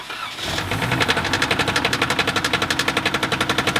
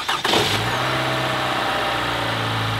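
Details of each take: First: Flood-damaged 1AR-FE four-cylinder cranked after refitting the plugs and coils. Water is still present. Heavy, regular knocking about four per second is heard over the cranking: rod knock, and the engine is destroyed by water ingestion. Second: Toyota 1AR-FE 4-cylinder, 130,000 miles, warm restart after cold start: catches at once, steady idle with only faint valve rattle, no metallic VVT knock since the variable valve timing already has oil pressure; oil is dirty.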